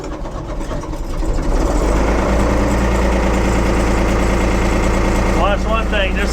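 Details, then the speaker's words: 1975 Ford 550 diesel backhoe on a cold start after a hydraulic repair and refill: it fires within a second or two and settles into a steady, even idle with no misses, a healthy cold start. "fires up like a banshee"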